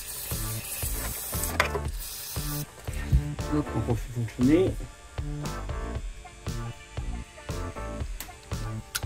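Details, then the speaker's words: BMW camshaft actuator solenoid being cleaned and energized, crisp distinct clicks about once or twice a second as it snaps in and out, working normally. "Là, on entend bien claquer là. Là, il fonctionne bien."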